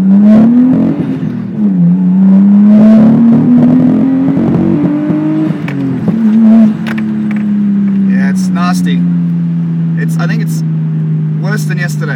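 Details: Nissan Skyline RB20DET loaded in second gear: engine note climbs but wavers and stutters around 5,000 rpm, pull breaking up; owner unsure whether spark or fuel, idles about 800–1,000 rpm; high-rpm misfire under load.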